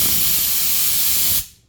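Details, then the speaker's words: Kobalt 2-gallon air compressor run at 120 psi, draining the tank after maintenance: loud steady hiss of air blowing out the drain for over a second, then cutting off cleanly; sputtering shows a little residual water. "And boy, you got to drain these things a lot more. Let me see if there's any water left in here."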